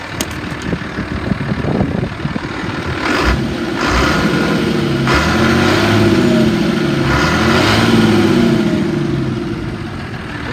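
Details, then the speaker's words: 1988 Ford F-800 crane truck, 7.8 L diesel, 5-speed manual, 14,329 miles, warm after running over an hour: revs cleanly from idle through blips and drops back smoothly, no knock or miss; normal rev. "sounds good it Reds up nice it shows 14, 329 Mi the AC is blowing cold"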